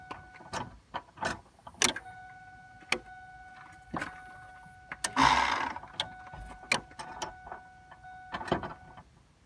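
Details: 2002 Ford F-150 5.4 V8 with the key turned to on and the engine off: irregular sharp ticks over a faint steady hum with no dash lights; the truck cranks but only occasionally starts; cause not yet found.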